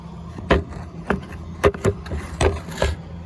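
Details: Audi A4 B6 with ignition ON, engine off, between door chimes, recorded near the ECU: sharp, irregular electrical-sounding clicks, about six in three seconds; the owner is unsure whether this is normal, cause unknown.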